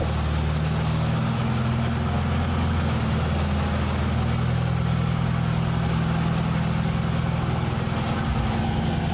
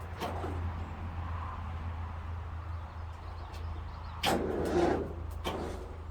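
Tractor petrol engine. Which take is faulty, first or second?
second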